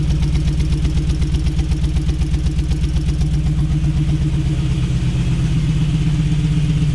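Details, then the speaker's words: Jeep V8 idling, new true dual exhaust, some backfiring; deep idle with heavy regular stumble about four per second in exhaust; cause was multi-port injection set as throttle body in the tune; misfire at idle. "Sounds pretty good, but it's not running good. So I've got a serious miss."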